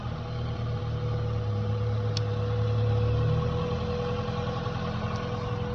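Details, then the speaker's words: 1996 Honda Civic EK hatch, stock GSR engine, idling in the engine bay after fuel injector and air filter replacement: steady even idle, loud intake breathing hum, no misses or ticks, no fuel leaks or check engine light; healthy. "I like that it is kind of loud but a lot of the sound comes from the intake of it just breathing in so I like that sound more than the higher raspy sound of the exhaust that most people have"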